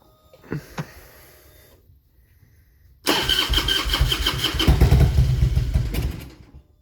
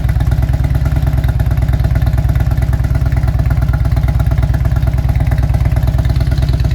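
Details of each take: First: 2000 Harley-Davidson Road King V-twin with a bad miss: cranks, catches with a little throttle, runs rough, popping and sputtering, then cuts off within seconds as it does nearly every time. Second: 2000 Harley-Davidson Road King V-twin with aftermarket exhaust, no programmer, just after fitting fresh NGK Iridium plugs: loud, steady lumpy idle about three beats per second, no dropped beats; misfire cured, smells slightly rich, possibly warm-up enrichment.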